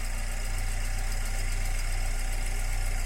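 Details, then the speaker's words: VW Gol with flashing oil light, idling at first start with a mechanical gauge fitted: fairly regular knock around three per second over the engine as oil pressure falls below 2 bar; low oil pressure. "start the car please can you hear the tcho knocking the tcho is dropping a little bit, the oil pressure here is already low"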